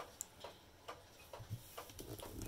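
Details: Herschede Bim-Bam mantel clock bought as working: soft ticks in a quiet room with uneven gaps between tick and tock; the clock is out of beat, which the owner thinks can be fixed.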